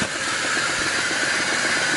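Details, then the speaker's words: Homemade belt grinder, motor drive pulley ground concentric to reduce wobble, grinding tool steel on lowest speed setting; steady even whir with smooth belt hiss, no knocks or thumps: normal running at low speed. "So this is tool steel, so that's pretty tough, and it is eating through that on its low setting."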